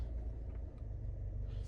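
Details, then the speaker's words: 2018 Nissan Altima SR after replacing passenger-side engine mount: steady smooth low engine rumble in drive and reverse, previous rattle from under glovebox/dashboard gone. "Can see she sounds good now. No more rer sound. Take a listen. And we go to reverse. No more rattle sound drive."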